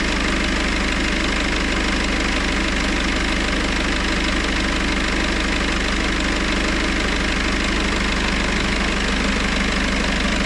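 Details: Citroën C4 Grand Picasso 2.0 BlueHDi 150 diesel after head gasket repair and engine refit, idling in Park at 60°C oil temperature during the gearbox oil change: steady, even clatter with a constant low drone and no misses or knocks.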